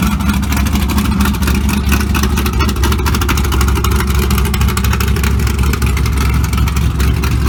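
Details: LS3 V8 in a 1975 Monte Carlo with a big cam, wireless exhaust cutouts switched to loud mode: loud, deep, lumpy burble with a choppy uneven beat; healthy cammed idle.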